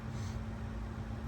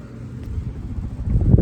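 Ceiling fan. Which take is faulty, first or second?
second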